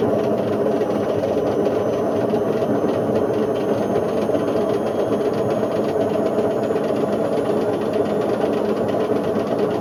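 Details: Indesit IWC71453 UKN 7 kg washing machine, found dumped, test spin after a split belt: loud constant roaring rumble with rough thrashing underneath; destroyed drum bearings and ruined shaft.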